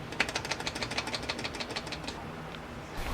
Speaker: sometimes s the reflector will detach from the hinge which causes the noise